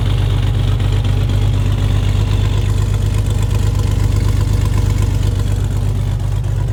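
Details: Chevy S10 recorded at the rear exhaust, after a vacuum leak fix and before idle mixture screw adjustment: steady, even low burble with no misses, running smoother and cooler.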